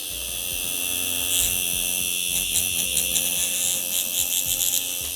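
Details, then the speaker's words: Lace Nano magnetic-drive rotary tattoo machine with power set above halfway: a steady, even high-pitched buzz with no catches or rattles, and the frequency sounds alright. Normal running. "And once you go more than half, then it's the frequency sounds alright. This sounds alright."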